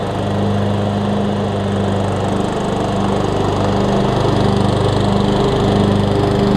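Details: 2003 Craftsman LT2000 riding mower after new belts and freeing a frozen deck spindle: steady, even engine drone with blades spinning, no grinding, squeal or knocking from the deck; belts aligned, running healthy.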